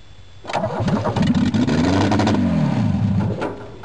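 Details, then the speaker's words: VW Rabbit that sat unused a long time, first start on a fresh battery: catches after a brief crank and immediately flares to high revs, hanging near wide open before sagging back; it won't settle to idle. "seems to want to go wide open."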